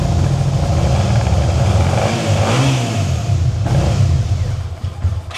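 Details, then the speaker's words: 2011 Suzuki SFV650 Gladius with fault codes, throttle valve sensor unplugged: revs only while throttle held, then sags and fades; starts only with throttle while cranking, won't idle. Bike earlier made whining noise at key-on; cause unconfirmed. "but it won't idle. And if you hit the starter [Music] with throttle, it starts. Without throttle, doesn't start."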